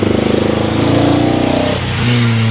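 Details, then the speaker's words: 1990 Nissan 240SX with a faulty set of injector wires/plugs: lumpy, uneven throb like a motorcycle that stumbles as it revs; definite misfire from faulty injector wiring. "it definitely missing it's not having it not happy yeah no"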